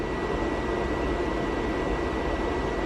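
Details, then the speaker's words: Giandel 1200W inverter in a Rav4 Prime under about 760 W load (~72 A DC): the inverter's cooling fan kicks on with a steady even whoosh and a faint high tone, no rattle. The fan runs normally; the breaker trips shortly after. "Alright, we're going to do the 10 amps. 10 amps is 7. I can hear the fan kick on."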